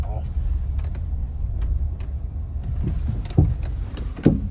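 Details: Chevrolet Suburban driven slowly in U-turns in a parking lot, dealership had said suspension work needed: low rumble with two dull clunks about a second apart while turning; suspension knock when turning.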